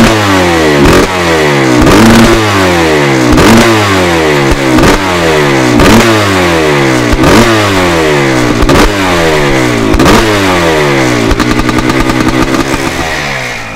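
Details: 1987 Yamaha YZ490 twinshock hybrid, air-cooled 490 two-stroke in a 1987 YZ250 water-cooled frame, built as a weekend race bike: crisp two-stroke crackle at idle, sharp blips climbing cleanly and dropping back about every second. Normal idle and revving.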